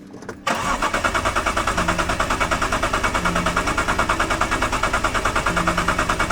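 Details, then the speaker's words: BMW E46 coupe bought as a no-start car cranks steadily at about three pulses a second but never fires; fuel delivery fault. "Yes, we won't be driving this car home. Oh, unfortunately, it didn't start."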